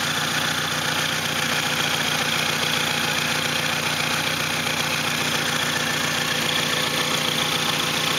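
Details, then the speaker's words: Saturn SW2 idling with an uneven stumble two to three times a second; the misfire starts about three blocks from home, with no check engine light or other warning; cause not identified. "No check engine lights, no nothing. Just a fucking misfire."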